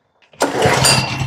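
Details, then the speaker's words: Propane generator that had been shutting off, after low oil was found and topped up, starting: a quick catch after a short pull, then a steady buzzing run with no stumbling; clean start. "kick the tires and light the fires baby I'm going to let it sit here and run a while find out if she's going to cut"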